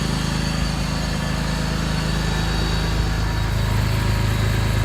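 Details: BMW E46 at idle after a cooling system overhaul: a steady, even idle with a low smooth pulse and no knocks or misses. Coolant is circulating and bleeding bubbles, and the temperature is still fine.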